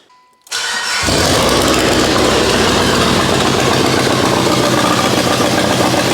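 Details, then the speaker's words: Mitsubishi Lancer Evo 8 turbo, restoration, started with the wastegate arm off: loud, raspy idle with a harsh edge; exhaust noise from a wastegate flap not held closed by enough arm tension, fine when closed by hand; arm shortened, sounding better. "H it's almost as if there's not enough tension on that wastegate arm if I manually close it it's fine"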